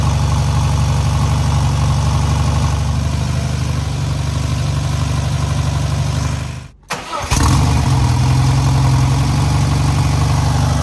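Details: Newly rebuilt air-cooled VW 1600cc flat-four on its first start and break-in: steady, even putter with a smooth low thrum and a brief dip; normal, healthy idle.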